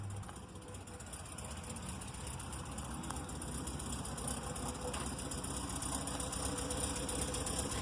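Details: VW Vanagon idling with new exhaust pipes installed a few months earlier: a quiet, even idle with a soft, steady exhaust pulse and no knocks, rattles or leaks; the exhaust sounds sound.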